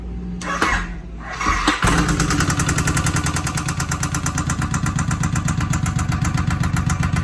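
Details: 2007 Suzuki Boulevard M109R V-twin motorcycle starting and idling with a loud, regular knock on every firing pulse, coming from the right side of the engine; cause not yet found.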